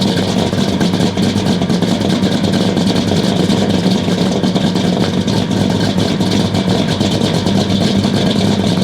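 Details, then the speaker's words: 1969 Buick Special Deluxe 430 big-block, big cam, first start after sitting over a year: lumpy, uneven loping idle with a sooty stumbling note; running very rich because the choke was left mechanically fully closed. "well it started sounds kind of rough it's running super rich maybe I don't know have to check that out for sure well I think I figured out the issue I took the air filter off and uh I forgot that I mechanically closed the choke all the way so that was running full choke"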